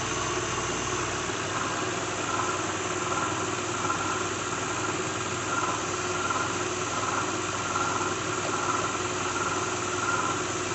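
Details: 2006 Lincoln Town Car, cold start idle: steady whir with loose, uneven rattle and occasional knock at the front; owner names a bad harmonic balancer after coil packs, plugs, pulleys, alternator, belt and cam sensor changes didn't fix it.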